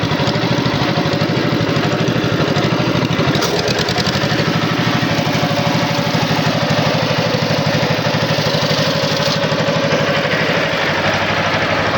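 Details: Wisconsin TJD 20 horsepower inline two-cylinder engine powering a tow-behind flail mower, run earlier and tested cutting grass; even, steady two-cylinder beat at constant speed, no misses, knocks or rattles: normal running.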